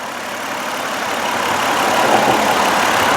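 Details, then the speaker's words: 2005 Mercury Montego Premier AWD, 3.0L V6 with six-speed transmission, idling with the hood open. A steady, even rush of sound with no knocks, ticks or hunting; it sounds like it did when brand new. "so you can listen to the motor and he you can hear it sounds just like it did when it was brand new"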